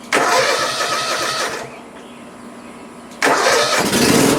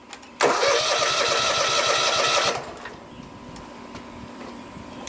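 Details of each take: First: Cub Cadet ZT1 Ultima zero-turn mower: engine catches and runs briefly, then sags and dies before firing again; a shorted key switch is cutting power to the fuel solenoid so fuel cannot flow. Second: Cub Cadet ZT1 Ultima zero-turn mower after replacing a shorted key switch that cut power when it started: engine cranks, catches and settles into steady even idle, stays running with lights on; normal start and idle.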